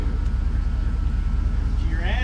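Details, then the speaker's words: Rough idle on a 1987 Grumman ice cream truck engine being started to see if it runs, with a heavy, hammering low knock described as big-time and sounding like a jackhammer; cause not identified, and an engine swap is being considered. "Oh big-time knock what's that about buddy"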